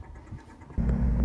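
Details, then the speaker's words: Twin Cessna N3318Q with a dead battery, jump-started with a Powerall 24-volt jumper: quiet cranking, then the engine catches abruptly into a deep, steady rumble and keeps running; clean start. "Plugged it in, hooked it up, fired right up."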